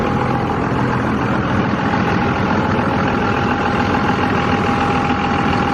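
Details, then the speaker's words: 2001 5.9L 24-valve 2nd-gen Cummins diesel idling right after a valve lash adjustment: a steady, even idle with a smooth clatter and no irregular ticking or tapping. Much quieter than before the adjustment and running well; a normal idle. "Yeah, she's a lot quieter than she was before I did that. And she seems to be running really well."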